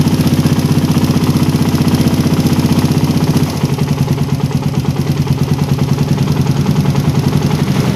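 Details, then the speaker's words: Engine with a PE28 carburettor (swapped in for a PWK 28) at idle, air screw set by the idle method to 2.5 turns out: an even thump of about two and a half beats a second with no hunting or misses, a clean tickover. "Nah tadi udah dapat settingan RPM paling stabil. Sekarang kita cek berapa putaran dapatnya ya."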